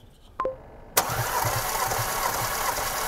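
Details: 2018 Porsche Macan 2.0 gasoline with 95,000 km, misfire on cylinders 3 and 4 and a fuel smell from the muffler, during a compression test: the starter cranks with an even, steady chug, suggesting equal compression across cylinders.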